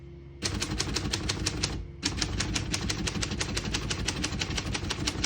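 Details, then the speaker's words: Serviced 1935 Corona Standard portable typewriter, single line spacing, typing test: crisp, even key strikes at roughly three per second, no keys skipping or sticking; normal typing. "can see, all the keys type nice and none of them skip or stick."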